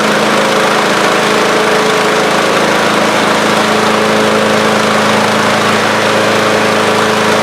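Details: Old Craftsman riding mower, not run in a couple of years and started on a charged battery: steady, even engine drone with a smooth deck hum, no knocks or misses; runs healthy with the deck engaged.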